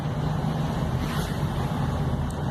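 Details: 2010 car on a road test after control arm bushing replacement for a rigid rear noise: steady road and engine rumble with no knocks or metallic clunks from the rear; the suspension is quiet and solid.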